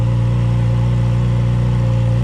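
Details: 2015–2018 Yamaha R6 after fuel tank and pump conversion, just started on about a gallon of fuel: deep, smooth, steady idle with an even beat and no knocks or rattles; engine running healthy.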